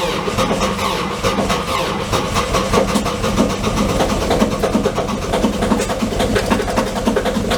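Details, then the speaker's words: Kubota KX040 open-station excavator cold start at -30 °C after sitting weeks, glow plugs cycled three times: slow, labored cranking, then steady, even pulses as it catches and settles; normal cold start despite slow cranking. "So whenever you can hear that one, it's very, very slow to roll over, but fired up, no real issue on it."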